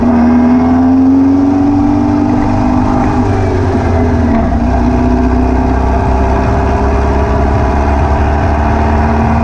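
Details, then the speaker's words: VW beach buggy with Prowler body, air-cooled flat-four, after new plugs, leads and distributor arm, on test drive: buzzy, uneven lumpy beat, popping under acceleration, smooth at tick over; possibly over-fuelling, found to be a blocked idle jet in one carburettor. "as you can hear from it running it's misfiring still I think it now maybe over fueling I don't know"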